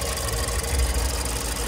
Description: Engine was knocking, pero hindi makina ang naging problema.